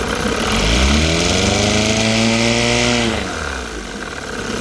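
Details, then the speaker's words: Rebuilt 1960 Evinrude Fisherman 5.5 hp two-stroke outboard in test tank, shifted through neutral and reverse: pulls up smoothly to steady high rev and drops back cleanly with no stumble; normal running. "Pumping lots of water. bit lean. Alright, that sounds good."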